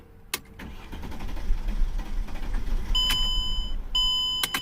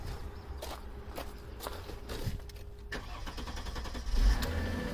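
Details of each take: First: 2003 Mercedes E-class 3.2L, crank no start, owners suspect the fuel pump (20 A fuse fitted where 15 A specified): low uneven cranking for several seconds with door chimes, no firing. Fuel pump not delivering. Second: 2003 Mercedes-Benz E-Class 3.2L, previously crank-no-start, being started with current clamp on the fuel pump: pump hums and a few clicks sound, then the engine catches cleanly and settles into an even idle.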